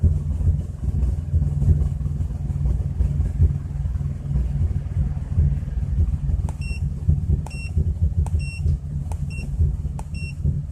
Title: 2004 Chrysler Crossfire OBDII Readings with Rough Idle